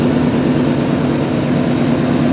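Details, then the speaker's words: 1988-1998 Chevy Silverado C1500 350 V8, 700R4, 101K miles, original: steady even low rumble at idle with no squeaks, whining or tick; normal idle. "Sounds good though. No squeaks, no whining."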